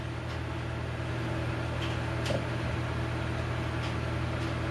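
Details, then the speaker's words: 8 kW diesel air heater, first run, after shutdown: burner calms and clicking stops, steady low fan hum continues blowing out heat; normal cool-down fan run-on. "so now it's going down to cool okay so the burn chamber just calmed down the clicking stopped it's still blowing the heat out"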